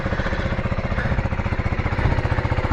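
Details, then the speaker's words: Brand-new 2025 KTM 390 Adventure R, just delivered, first start before its first ride: even, quick single-cylinder thump at a steady idle, no knocks, misses or rattles; sounds nice, ticks over beautifully. "Sounds nice, ticks over beautifully."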